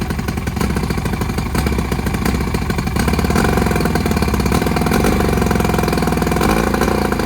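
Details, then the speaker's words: 1959 or 1960 Evinrude 10 hp two-stroke outboard with magneto points ignition, before repair: rattly buzz with uneven beat and occasional dropped firing pulses; ignition misfire. "hey guys welcome back to another video about this sold out board I got a 19 I think it's a 59 it may be a 60 Evinrude 10 horsepower motor and it's got a miss"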